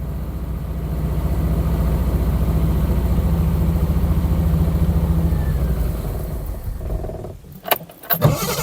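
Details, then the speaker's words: 1972 Triumph 2000 Mk2 2.0L inline-six, first start after 20 years sitting, runs with a low uneven beat then dies; doesn't sound like it fires on all six cylinders; worn vacuum pumps and fueling issue suspected. "She was running for a bit. Come on. Come on, baby. It doesn't sound like it's firing on all cylinders."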